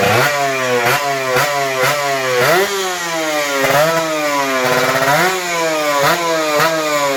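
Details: Kawasaki Ninja RR 150 two-stroke after service: before, it pulled weakly, stuttered, the KIPS stuck at some rpm and fell slowly, and the throttle hung. The carb throttle slide was sanded smooth. Now an even, crisp buzz rises and falls cleanly with each blip.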